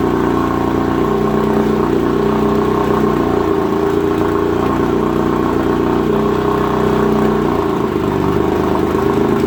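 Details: 1956 Evinrude Fastwin 15hp two-stroke outboard in a water bucket, after converting its dual-line pressurized fuel system to single-line with a fuel pump: steady, even buzz holding constant speed with no misses or surging; runs cleanly.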